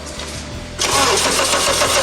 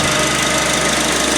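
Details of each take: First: Honda Accord right after fitting a replacement power steering pump with fluid in the reservoir: engine fires and settles with a steady mid-pitched whine over it, bubbles still in the fluid; pump suspected drawing air, not confirmed. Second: Honda Accord with a brand-new replacement power steering pump after a faulty one: steady, even engine hum with no squeal, whine or bearing noise while the wheel is turned lock to lock; the pump is healthy.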